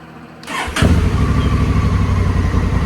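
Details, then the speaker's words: Honda Africa Twin after clutch job, valve adjustment and suspension upgrades, about 2 quarts coolant and 4 quarts oil added: quick crank, clean catch, steady even idle with smooth low pulse, no knocks or rattles; healthy start. "I got my oil all put in. I added about 2 quarts of coolant and 4 quarts of oil, and it sounds awesome."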